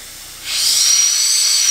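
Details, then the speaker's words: Turbo Honda Del Sol during a boost leak pressure test: sharp steady hiss from a poorly seated intake elbow, a big boost leak, to be fixed by reseating the clip. "another thing that I didn't expect was this elbow here as a massively you can hear it a"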